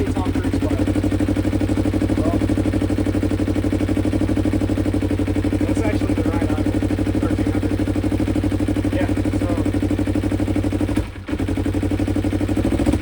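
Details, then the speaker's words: 1986 Kawasaki Ninja 250 twin, project bike, after easy start: steady, even putter without misses or hunting, one brief dip near the end; idles healthily, owner says it runs strong. "Like, it runs really strong. It rides really good."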